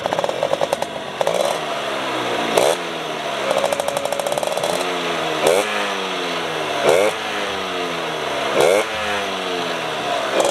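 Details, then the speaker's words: RC100 two-stroke, set for economical daily use, revving after cold start: crisp clean revs rising and falling with steady ring-ding idle between; engine sounds fairly smooth, normal. "mesinnya Ya bisa dibilang cukup halus Kalau kita dengar langsung"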